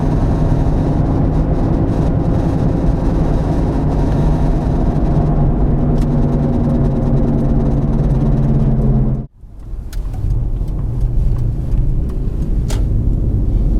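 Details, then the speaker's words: Car driving at road speed: deep steady growl under road noise that tracks road speed; bad wheel bearing located to the rear on test drive, side undetermined. "a wheel bearings typically sound grindy growly when a bearing starts to go bad it makes noise and typically that noise is described as grinding growling whining"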